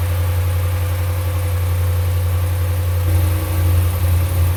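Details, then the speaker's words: 2018 Ram 1500 5.7 Gen III Hemi after passenger-side exhaust manifold leak fix (broken manifold bolt removed, new aftermarket manifold kit): deep steady V8 idle, slight blip, no ticking or puffing; no leaks, quiet. "No leaks, nothing at all. Nice and quiet."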